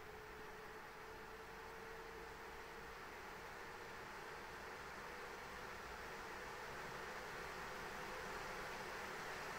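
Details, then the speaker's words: ASUS ROG Strix RTX 3090 in an XTIA case during Time Spy: loud rushing whoosh swelling as fans ramp to 100%, GPU at 77–79 °C, about 1950 MHz; coil whine masked by fan noise. "okay time SP finished it took a while probably just heard um a lot of wind noise probably thought it was a hurricane"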